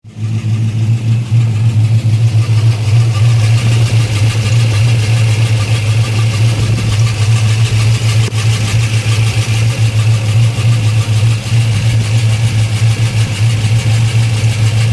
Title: What is this noise? Dead misfire.